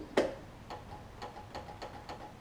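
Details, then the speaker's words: John Deere LT166 lawn tractor with starting issues, battery reading 12.4 V: one sharp click then light ticks about every third of a second, no cranking; suspected failing starter solenoid or battery. "i can hear it try to click which is more than what we had earlier let me try battery see if that's the issue and if it's not then we'll we might get a brand new solenoid"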